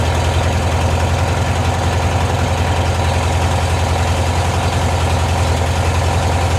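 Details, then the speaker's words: 1972 VW bus flat-four after a tune-up, first cold start after refilling the oil: steady, even low putter at a smooth cold idle with no misses or knocks. Normal cold idle. "sounds good it's running smooth I know it just oil circulate a bit"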